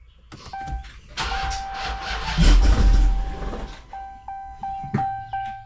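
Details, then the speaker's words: Hellcat supercharged V8, first startup in months after supercharger reinstall, started from inside: starter cranks, engine catches with loud roar, revs sag and it stalls within seconds; door chime pings. "Shoo! That thing died on me."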